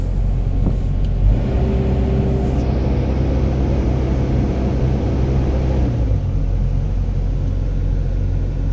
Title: PC70-8 new Replace Back up Sensor cause before hard starting now back to normal